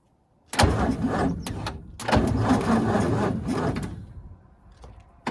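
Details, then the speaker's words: 1942 Ford 200ci cranking after 20+ years idle, premix fed in to lubricate the top end, starter apparently original from 1965: sluggish, uneven cranking in bursts with pauses, brief catches, no start; weak starter, engine trying to fire. "Definitely think this starter's definitely got some issues, but she does want to fire."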